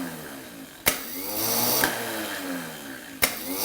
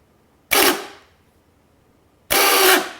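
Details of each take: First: Mercedes W113 280SL starter motor after spraying oil on the clutch, gear and shaft: bench test gives three clean solenoid clicks, each with smooth gear engagement, spin-up and coast-down, a healthy starter running free. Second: Replacement starter for a Mercedes W113 280SL Pagoda, bench tested with booster pack: two short harsh, gritty free-spinning bursts dying away roughly; rust near the shaft end, perhaps from sitting too long.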